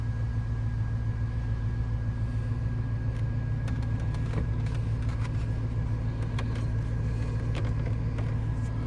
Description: This is a cool start on day 2 of the Crank, No Start saga that left us towing it home. Still starts up and runs fine.